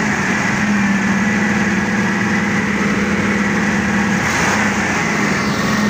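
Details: Forklift engine after replacing all four spark plugs to cure a misfire: smooth, steady idle with an even hum, no stumbles or skipped beats, running cleanly.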